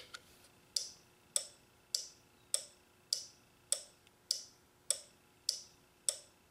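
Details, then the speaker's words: Toyota/Nissan four-pin relay tested on a Relay Buddy tester: crisp, evenly spaced clicks about every 1.2 seconds on each cycle; the relay switches properly and is good. "I hope you can hear it clicking I can hear it clicking every time we know that one's good"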